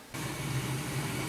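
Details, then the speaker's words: Home cold-start hot-water boiler restarted after purging air from the heating system, fired by calling one heating zone: quick soft whoosh at ignition, then a steady, even low roar with no rumble or pulsing; normal burner firing. "so I'm going to turn one of the heating zones on in my house so that thing fires I'll make sure we don't have any issues"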